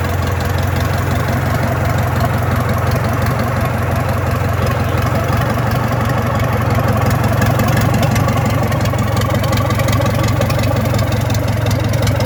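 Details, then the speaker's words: Freshly restored Gardner 4LK four-cylinder diesel: a slow, even beat at idle with all four cylinders firing steadily and no misses or knocks. Normal diesel idle. "so we know that she's firing at all four little engines running on all four"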